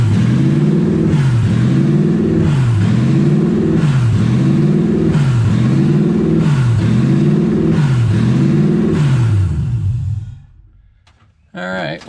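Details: Toyota 1UZ V8 in a Ford Falcon, first start with radiator just filled and coolant low; engine hunts up and down about every 1.25 s; owner guesses no coolant through idle air control valve, causing high surging idle.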